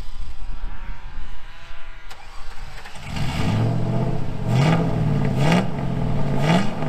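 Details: 2000 GMC Sierra 5.3 V8 with Texas Speed Stage 3 truck cam (.550/.550, 216/220, 112 LSA) on factory tune: cranks, catches, runs lumpy with surging revs that sag, needs throttle to stay alive in gear.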